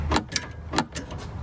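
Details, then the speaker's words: 2019 UAZ Patriot: a few sharp, hollow clunks when the wheel is turned right and the loaded steering shaft's universal joint strikes a stud, as rubber parts wear over time; nothing happens turning left. "и рулевой вал начинает стучать об шпильку о своей крестовины он начинает стучать об шпильку"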